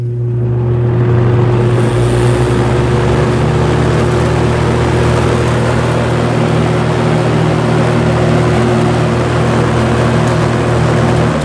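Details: Vintage Lakewood S-223 box fan, Westinghouse motor, constant speed: steady low electrical hum with a higher tone; runs great otherwise, bearings seem healthy, rear bearing oiled; hum cause unknown.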